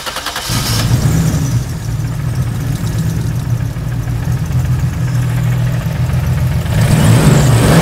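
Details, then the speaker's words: 2JZ-GTE turbo six swapped into a Mercedes SL500 with 6-speed manual; lumpy uneven idle and blips with irregular stumble. Misfire, two cylinders dead. "I don't think so doesn't sound great"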